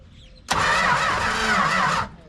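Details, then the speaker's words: 1968 Plymouth Road Runner parked 38 years, first start attempts after the distributor was adjusted: about 1.5 seconds of even cranking, the engine churns but never catches; fuel pump heard pumping, yet pump then found not working. "we could hear that pump pumping but the engine didn't seem to know it"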